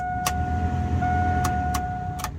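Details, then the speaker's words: 1999–2007 Chevrolet Silverado HVAC with key on: steady even blower whir with a constant mid tone and no rattle or squeal, so the blower motor is fine; air stuck on defrost, mode actuator suspected. "let's just grab the keys and see what happens you hear that blow motor is working just fine"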